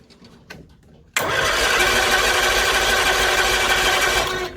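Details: 1964 Bedford CA panel van, thought not to have run for about 10 years, on a warm day: the starter spins the engine for about three seconds with an even cranking drone, but it never fires.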